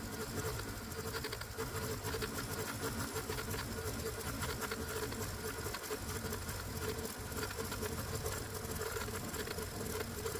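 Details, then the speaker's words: Hot-bulb semi-diesel lawnmower engine, warmed up on spark, carburetor leaned out, then run on gasoline with the spark plug disconnected: fast, sharp, even auto-ignition clatter over a steady drone, sounding close to blowing up; harsh semi-diesel knock. "And that's because the way this engine sounds when it's running as a semi-diesel, well, it sounds like it's seconds away from blowing up."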